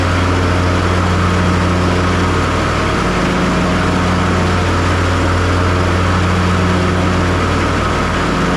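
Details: John Deere S240 lawn mower, which had been loud and cutting unevenly after hitting something, after deck repair and leveling; smooth, even engine drone with blades spinning, no squeal, knock or belt slap, deck running normally.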